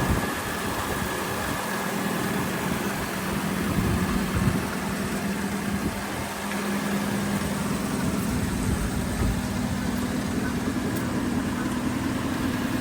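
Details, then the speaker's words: Mopar tonner truck after long storage, running about 5 minutes and warm, only carburettor and water pump done, owner suspects sticky rings and gummed valves: smooth even low idle, no knocks, misses or ticks; healthy warm idle. "The more heat cycles it gets through it, the better it's getting. It's honestly amazing how well it runs, considering we've done nothing except the carving."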